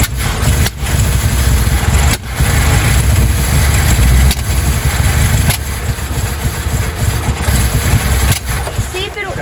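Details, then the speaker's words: 1956 Ford Fairlane running for the first time in 15 years, with new coil and plugs and intake manifold and carburetor refitted: loud uneven rumble that surges and stumbles and won't idle; owner suspects vacuum leaks. "I think we've got a lot of vacuum leaks and that's probably part of the problem but it was I mean it was it was going I wonder if it will idle"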